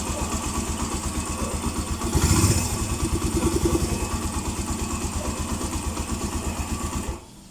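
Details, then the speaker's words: Suzuki Mola 125/150 single, warm idle after replacing timing chain and head cover work: steady even thump with no ticking, clean shutoff; previous warm-engine ticking gone, original tensioner kept. "So ayos na mga ka-OT. Tumahik nga ung lagitiki. Nalagitik eh. A nawala. So yun pala yung dahilan wala ng lagite."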